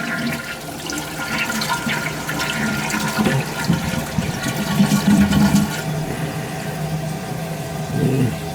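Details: Toilet that kept running and overflowing, flushed after the repair: a strong rushing gush drains, then refills steadily and cuts off normally. The base stayed dry with no leakage. A healthy flush with no running on.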